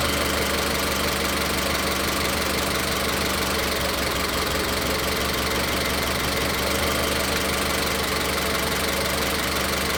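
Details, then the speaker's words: Cylinder-specific misfire test with the engine idling: the idle has an uneven, stumbling beat with periodic dips as one cylinder drops out. Unplugging cylinder 3's individual ignition coil connector causes no change, which identifies cylinder 3 as the misfiring one (codes P0300–P0308 range). "Cuando quito este conector, el motor no falla. cuando pudimos ver de esa manera podemos determinar dónde está la falla o las fallas de encendido. En este caso, claramente vimos que la falla de encendido viene en el cilindro tres."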